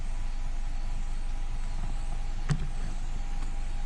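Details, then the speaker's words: 2014 Nissan Altima 2.5 SL QR25DE after P0014 repair (codes cleared, oil change, solenoid O-ring checked): smooth, steady idle with even pulse, no misses or knocks; normal idle. "All right guys, in the car, ignition off. Let's start this thing up. All right. Idle looks to be okay."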